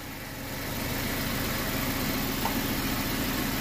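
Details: BMW 116i petrol engine idling with a faint, fairly regular light ticking over the steady hum; gearbox also whines on overrun in second and reverse; owner fears engine damage.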